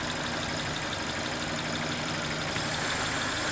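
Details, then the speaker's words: Hot-engine idle on a Japanese idle air control system (Lancer/Toyota type) with an airy intake hiss; the idle valve is heard opening and holds speed steady while the air path is disturbed: normal idle air control response. "but I'll give you an example show now I can hear that idle valve opening"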